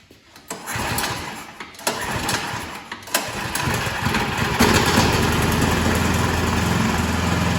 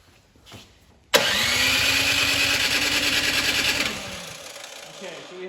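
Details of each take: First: Troy-Bilt 2665 snow blower (model 31AM6CP3723) after draining possibly water-contaminated fuel and rebuilding the carburetor: a few sputtering pulls after the choke is taken off, then it catches and settles into a steady, even run. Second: Troy-Bilt Storm 2665 snow thrower (model 31AM6CP3723), sat two seasons, choked and primed but no air felt through carburetor: electric starter whirs about three seconds with no firing; crank no start, carburetor blockage suspected, ignition not yet checked.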